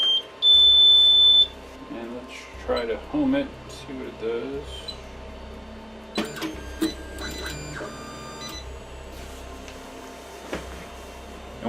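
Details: Anycubic i3 Mega 3D printer that hangs mid-print: one long, steady high beep followed by handling clatter. Z-rod misalignment is doubted, and the cause remains unknown.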